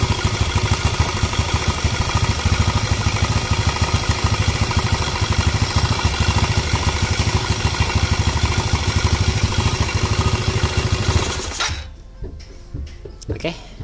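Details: Motorcycle (5LC scooter type), first bench start before refitting to the body: small engine catches and settles to an even, quick idle with no knocks or misses, then shuts off cleanly; normal idle.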